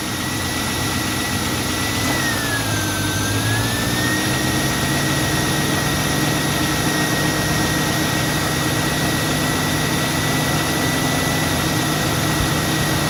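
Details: 2002 Mustang GT after radiator fan replacement (Dorman 620-139), idling with AC on: smooth, steady fan rush with a faint even whine, no rattle or slapping; broken-fan-blade noise is gone, fan normal.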